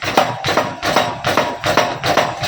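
Sharp hollow clunks about two to three a second as the front end is pumped; the fork is knocking from low oil or worn internals.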